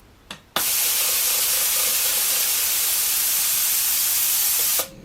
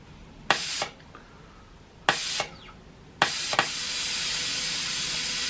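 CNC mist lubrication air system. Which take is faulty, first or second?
second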